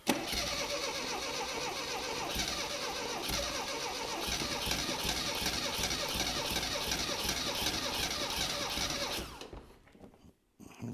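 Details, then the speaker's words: 1975 Mini Clubman estate, parked 7 years, fitted with an engine stored 12 years: long rhythmic cranking with uneven coughs that never catch, then stops; sparks and fuel present, stuff shooting out, owner suspects plug leads in wrong firing order. "I have a feeling that we may possibly have the firing order in the wrong way just because we got stuff shooting out of places we shouldn't have"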